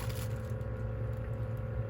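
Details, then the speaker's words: New replacement Sensory Lightahead bubble tube running: soft, steady low hum with no rattle or surging; the hum is quieter than the old unit's, a sign it is new; normal pump hum. "yep and as you could hear the humming is not as loud that's how you also know this is a new one"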